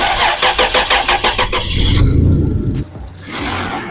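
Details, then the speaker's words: 1997 Toyota 4Runner Limited with weak battery, missing exhaust manifold nuts, mic in passenger-side wheel well: starter chugs sluggishly about three turns a second before catching; slow cranking, owner worried about compression near the missing nuts. "It did take a while to crank over. Makes me nervous about compression in place to where our offending missing nuts are."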